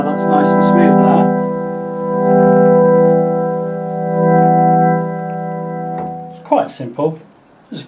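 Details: Eminent Solina F225 vintage analog organ after spraying cleaner into a scratchy slide control and working it up and down. Sustained chords hold clean and even with no crackle, scratching or dropouts; the slide now works smoothly.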